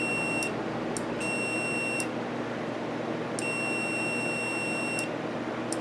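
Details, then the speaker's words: CNC plasma torch breakaway switch opened: uneven high beeps of varying length over a low shop hum, the buzzer signalling open loop. "when that pops off I assume some of you that heal better than they can hear that thing buzzing away"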